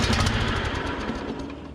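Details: Riding mower rebuilt from a scrap pile, first start attempt with choke and the last of the ether. Loud, uneven chugging cranking fades without catching, so it cranks but will not start; owner suspects a stuck carburetor needle and float.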